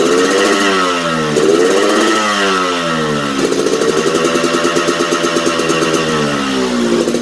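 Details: Yamaha RX King two-stroke with new original exhaust: blips up and sags back, burbling wet and uneven at low revs; sluggish and bogging at low to mid rpm, sounds rich, cause suspected, not confirmed.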